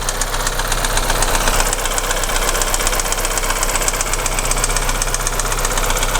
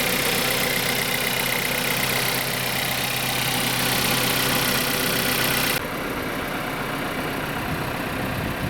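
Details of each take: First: Audi Q3 1.4 TFSI (CZDA) started cold, no fault codes: steady hard knocking at idle, a couple of sharp raps per second over a rough run, heard at the hood; piston knock, engine also burns oil and is going for rebuild. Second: Audi Q3 1.4 TFSI (CZDA, EA211) after overhaul, block bored to second repair size, new pistons and rings: even, steady idle with no knocking or ticking over the engine hum; rebuilt engine sounds healthy and smooth.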